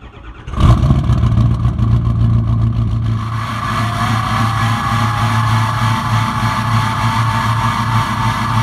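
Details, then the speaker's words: Ford 6.0 Powerstroke diesel before repair, through new 4-inch exhaust with 6-inch tip: cranks, catches, then rough loping idle from passenger-side number 1 injector missing, which keeps throwing a cylinder contribution/balance code; injector misfire. "You actually heard the injector missing. You can kind of hear it kind of lope there at idle. That's actually that number one injector missing."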